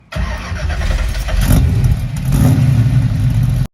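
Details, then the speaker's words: 355 small-block Chevy with a .480-lift camshaft on open headers, started after hydraulic valve adjustment: quick crank, catches and barks loud and deep, settling into a lumpy, even rumble; normal start. "we're going to do is start up Paul Vander specs 355 uh engine and this engine is going on the dyno on March the 1st"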